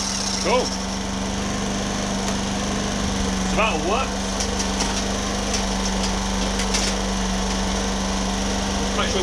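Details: Homelite HG600 generator with Yamaha single-cylinder engine, warming up after fuel pump cleaning and new gasket set: steady, even buzz at constant speed with no misses or surging; runs as good as new.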